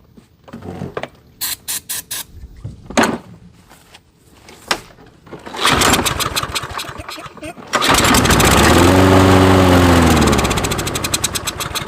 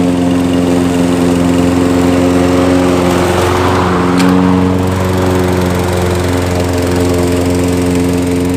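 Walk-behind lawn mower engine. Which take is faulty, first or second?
first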